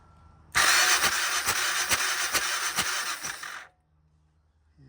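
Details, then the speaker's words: 1994 Honda XR650L single-cylinder, unstarted 14 years, cranking on the starter: steady compression pulses a little over two a second for about three seconds, no firing. Good compression at the spark plug hole but no spark; wiring and ground to be chased. "doesn't look like no spark got compression coming out of the spark plug though"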